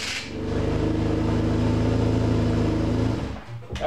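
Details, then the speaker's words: BMW R1150RT boxer twin after starter replacement, battery reconnected: clean crank and start into steady low thrum, starter no longer grinding as before; remaining extra noise each revolution from a nick in the flywheel, not a big issue. "much better it still has there's a Nick in that flywheel which is making that extra noise on each Revolution that's not a big issue starter sounds better it's not grading like it was before"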